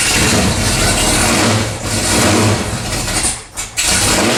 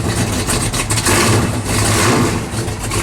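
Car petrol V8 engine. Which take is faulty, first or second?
second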